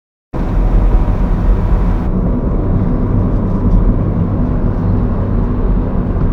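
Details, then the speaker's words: 2010 2nd-gen Honda Fit driving after anti-rattle fixes (taped trim, tightened hardware, replaced rearview mirror): steady low road and engine drone with no ticks or buzzes from trim or panels; rattle-free cabin. "Listen to that, the rattles are gone."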